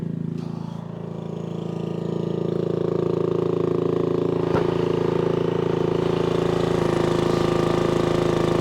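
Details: 1996 Brave log splitter, about 30 years old, revived after its engine had seemed to seize; splitting wood on a cold, windy day, the single-cylinder engine thrums at a constant speed with an even pitch under load; healthy.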